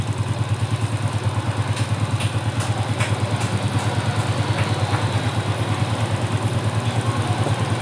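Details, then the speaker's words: Yamaha Jupiter Z motorcycle engine after rebuild, with modified head, valve clearance set and carburetor cleaned; steady, even low idle thump, about three beats a second, no knocking. Sounds normal. "Nih kalian bisa dengarkan sendiri suara mesinnya, enak kan?"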